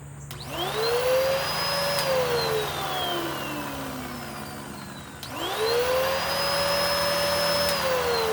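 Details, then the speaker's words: Curb-found Bissell PowerClean upright vacuum, likely 2016 model, first power-on: motor whine climbs to a steady high note, winds down, spins up again, airplane overhead; owner suspects bearings and massive clogs; worn belt and abused filters noted. "okay even though there's an airplane flying overhead to me i think i'm hearing some bearings but you know more than that i believe that i'm probably hearing massive clogs"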